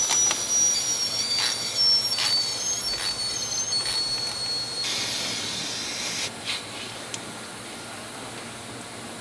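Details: Second-gen swap 6.7L diesel on dyno, intercooler system pressurized: sharp steady air hiss with light knocks as boost escapes a new intercooler boot where the clamp cut it; only 36 psi boost made before fixing.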